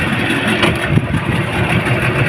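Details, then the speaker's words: Yamaha 15 hp outboard, hard starting and no power, at full throttle before repair: runs rough and flat without rising into a strong pull; caused by weakened ignition coil voltage and clogged carburettor. "itu dia mesinnya seperti itu kerusakannya susah hidup kemudian digas tadi seperti ini sama sekali hilang tenaganya"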